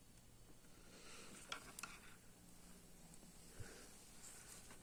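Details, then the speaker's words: 1950 Teletone TV208 portable TV (7JP4 tube, selenium rectifier) at first power-up: faint crackling sizzle with sharp pops over low mains hum from inside the chassis; no B+ apparent, several tubes not lighting. "I heard something sizzling in there. This does use a selenium rectifier."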